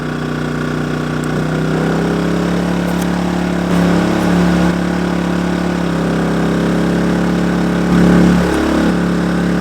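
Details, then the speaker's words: Kings 2kVA generator, economy mode off, running lights, air conditioner at 16°C, a 195 L 3-way fridge and fans: the hum briefly dips and recovers as load comes on, then settles. Normal running under load. "it's still doing it so it's running a few lights the air con set at 16° and now my 195 L uh 3-way fridge buying some couple of fans"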